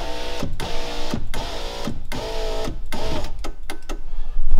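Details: VW Golf 3 electric window regulator: repeated short whirring bursts of the motor with straining buzz, but glass neither rises nor lowers; motor spins but regulator not moving, cause not confirmed.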